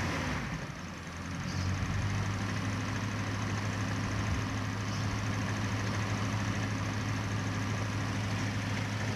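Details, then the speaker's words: Toyota Corona petrol engine idling after new spark plugs (plug wires not replaced): steady low hum with the earlier misfire and vibration much reduced, almost no shaking; points still to be checked. "Ternyata untuk pincangnya atau getarnya berkurang teman-teman ya. Ternyata berkurang. Dan sepertinya hampir tidak bergetar ini teman-teman ya."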